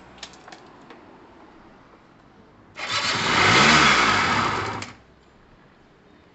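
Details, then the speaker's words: Gilera DNA 125 two-stroke scooter with fuel dropped straight into the cylinder: after silence the engine catches, buzzes about two seconds, rises slightly and cuts out, running only on the priming fuel. Owner blames the carb; the reed valve is unchecked. "ready so it burnt off the fuel that we tipped in there so the carb is crap"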